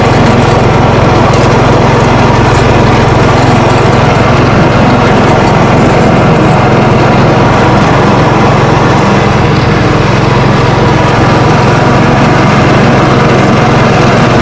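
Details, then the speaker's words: Lawn Ranger tractor after deck repairs, mowing: even, steady engine drone under load with no knocks, squeals or grinding from the deck. Normal running; only the steering is stiff. "The old Lawn Ranger mows. Didn't mow too bad"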